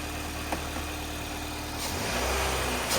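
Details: Nissan Qashqai after a belt-drive part was replaced; the owner suspects the old one's spring was weak and it jumped around more. Quiet idle, then quick throttle blips rise and fall cleanly with no squeal or chirp; the belt drive sounds healthy.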